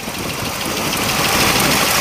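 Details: Chevrolet Camaro Z28 RS 302 with about 40,000 miles and air injection pump: fast, light ticking clatter over steady idle; ordinary solid-lifter valvetrain clatter.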